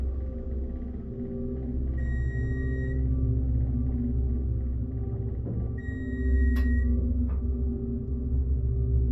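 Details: Armor hydraulic elevator (possibly Montgomery/KONE-modernized), possibly 2,000 lb capacity, recorded from inside the moving car: steady low pump drone with a couple of chime tones; hydraulic pump noise, rider guesses it is low on oil, not confirmed.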